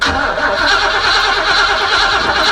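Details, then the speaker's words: Oldsmobile Cutlass 307 V8 restarted after dying out post cold start, just back from the mechanic: cranks, catches and settles into a steady idle without misfire. It sounds like a slight cam; it is still smoking at start from oil burning. "listen to that ground it sounds like you got a slight cam in it but you feel me"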